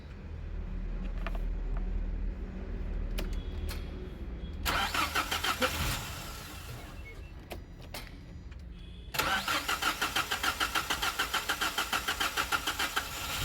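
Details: Nissan Caravan after fixing throttle body and cam sensor issue (stalling, no pickup, hard start), running on petrol: catches, two clean quick revs, even exhaust beat, no stumble or hunting; normal revving.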